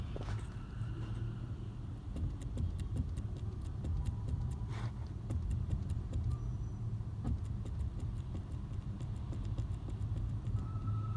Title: Toyota Corolla 2008 clunk noise where is he comes from help me